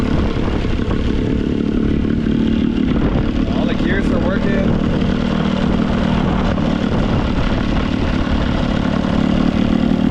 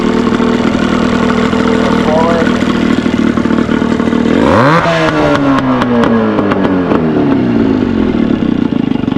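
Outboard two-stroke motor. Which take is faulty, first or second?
second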